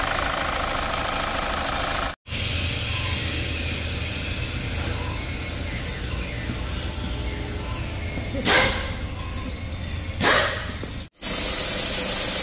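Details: Mazda CX-5 2.2 SH diesel after a dual turbo replacement for jerking, low power, smoke and a mechanical turbo code: even low idle rumble, no knocks, whistle or turbo rattle; healthy.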